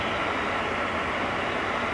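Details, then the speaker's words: 2008 Mercedes CLS 550 after AC blower motor replacement (under passenger-side glovebox), AC turned up: steady even air rush with no squeal; the old motor squealed constantly. Normal blower operation. "and not hearing that squealing here I know the real test will be over the course of the next several weeks but I think we'll call this a successful project"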